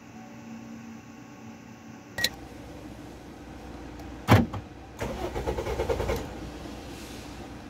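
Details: Toyota Vios that will not start: the starter churns in a quick rhythmic burst for about a second and never catches; ignition coil spark checked OK, fuel pump supply checked OK; crank no start.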